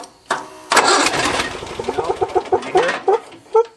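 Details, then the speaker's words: John Deere 400 lawn tractor with intermittent no-start, after work on corroded old wiring connections: brief crank, uneven sputters that falter and die within seconds; owner suspects the ignition switch. "hear it it stumbled it may still be the switch"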